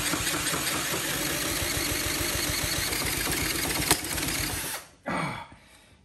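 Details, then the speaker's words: Honda CT70K1 bought at a swap meet, cranked with a drill at wide-open throttle: steady rapid cranking chuffs, about four a second, over a high drill whine; nearly catches but never runs even with starting spray and fuel in the bowl. Owner wonders if compression is too low. "oh I felt like it was going to go it sounds like it's so close"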